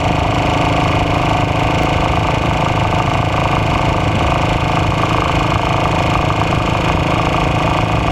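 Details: AJS Model 8 single-cylinder engine running: steady thump with an uneven knock about twice per second; engine knock, cause undetermined.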